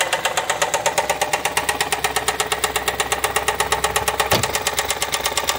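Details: Ford Escape EcoBoost at idle: loud, sharp, even knock about three per second, cylinder 4 rod knock, lower-end rod bearing completely gone.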